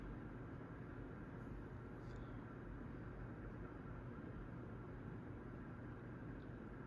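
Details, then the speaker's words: New Litex Gaskin 24-inch ceiling fan on medium: steady low whir and hum with a dull rumble, half of it from the blades and half from noisy bearings, which later quieted down with use. "Now, of course, some of the noise you're hearing is the blades waring around, but half of that noise is the bearings. Of course, I do have a small audible hum, which is to be expected. But like I said, the bearing noise is definitely annoying."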